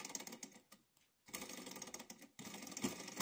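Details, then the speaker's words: Mini Alpha Stirling engine heated by a small alcohol burner after re-setting piston timing, since a loosened pulley screw had decoupled it; soft, fast ticking about three per second with a brief pause as it starts. Needs at least 2 minutes' heating. Normal running. "Donc il démarre un petit il faut bien le chauffer pendant au moins de 2 minutes."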